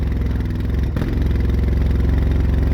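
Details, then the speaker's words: Quad after fiddling with CDI unit: quick, even pulses holding a steady beat after a brief rev blip, no smoke; running cleanly. "Listen to that. That sounds really good. And look, no smoke. Can't believe it. But yeah, that runs."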